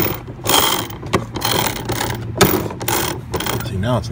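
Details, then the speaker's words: HART/Ryobi 40V brushless 20-inch self-propelled mower (HLPM021): irregular bursts of ratcheting clicks and no forward drive, as the plastic engagement handle flexes and fails to pull the steel drive cable far enough, so the drive gear slips. "it's missing the gear it's got to be remember that was clicking before something had to come loose"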